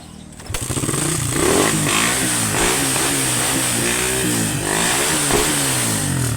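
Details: Suzuki Raider 150 Fi after fixing no-start with no error code (fuel pump, injector, spark plug and ignition coil checked fine; battery confirmed as the problem): catches on first crank, steady idle, clean rev and return; healthy start and run.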